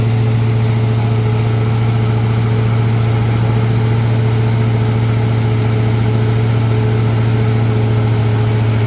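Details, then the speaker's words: Big-block Ford V8 with a 750 CFM Brawler carburetor, cold start in freezing weather, intake runners around 10–23°: once the choke comes off, a loud deep idle that won't settle. Rough cold idle as the cold intake leans out the fuel. "Okay. So, now it's to the point where the choke has come off and it doesn't want to idle very well."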